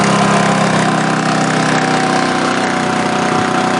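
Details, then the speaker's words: Generator with a holed muffler, running for a week, gives a loud, steady, slightly raspy drone at a fast, even speed with no hunting; it is idling high, and the owner suspects altitude, since it is tuned for 6,000–7,000 feet. "It's actually running a little fast. It might be because of the altitude. I kind of have this thing tuned up for 6,000–7,000 feet."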